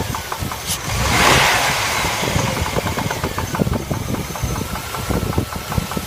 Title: Стук двигателя L35